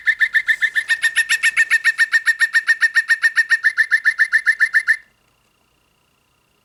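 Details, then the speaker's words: Singing bird clock after movement replacement, bird song triggered by the button: quick even chirps, three or four a second, on a clear high whistle, then silence. Very digital-sounding but no longer distorted, no buzz or crackle. "It does sound very digital. Um I think the Autobon Society one had a better um realistic bird sound. This sounds very digital, but it's not distorted anymore."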